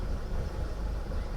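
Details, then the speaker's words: 2012 Volkswagen CC R-Line 2.0 at idle, many misfire and camshaft codes: low, lumpy, uneven idle as actual cam timing drifts over 50° from target; variable valve timing fault suspected. "it's going negative now it's really rough so it stayed good for a while but we're right back to where we were super rough and we're over 50° difference on our Target versus actual"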